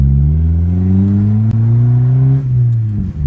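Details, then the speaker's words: Honda Civic with turbocharged stock D16Y7 non-VTEC, broken exhaust before repair: very loud raw deep rumble swelling as revs rise and fall; exhaust leak, later patched with welds and JB Weld. "so before we get installing the electronic boost solenoid aka the Mac valve I did want to show you that my exhaust ended up breaking on the Civic it got really loud"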